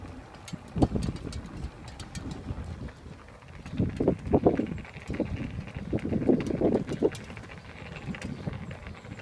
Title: E Thirteen Spokes tinging making noise